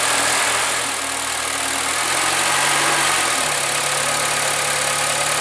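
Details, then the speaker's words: Honda Accord engine quiet at idle, but from about 2000 rpm a steady knock of about four per second appears; bearing shell pieces found in the oil pan, suspected cylinder 2; worn rod bearing, rod knock. "вот на холостых он не стучит а вот чуть-чуть часу до двух тысяч и начинается стук прям хороший"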